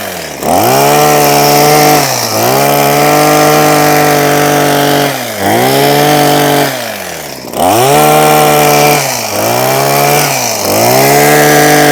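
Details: Husqvarna 123HD60 hedge trimmer two-stroke after new carburettor diaphragm and carburettor clean, cutting a hedge: strong wail dips under cutting load and recovers cleanly each time, no stumbling; now runs healthy.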